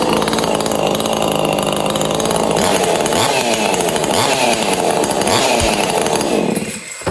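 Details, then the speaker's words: Neotec 843 chainsaw (Husqvarna 543xp clone), mild ported with squish clearance closed, first test run after reassembly with carb and exhaust mounted: steady high-pitched, crisp even two-stroke buzz that drops off cleanly; runs healthy. "I'd say she runs."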